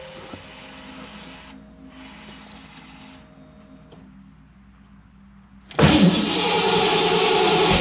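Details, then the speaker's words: 1987 Mustang (McLaren), Terminator X system, after refitting a suspected faulty part. Quiet hum, then the starter spins with a steady churning whirr but never catches; crank no-start from ignition timing out of sync. "oh she trying she is trying let me uh let me get a little peck of the gas"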